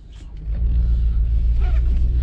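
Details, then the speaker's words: Chevrolet Silverado pulling away on first drive after swapping in a replacement 10-bolt rear differential with stock gears (unknown ratio) and a drum-to-rotor brake conversion: deep engine rumble, even drone, no clunks or whine from the rear; drives normally. "it doesn't feel as bad as I thought it would"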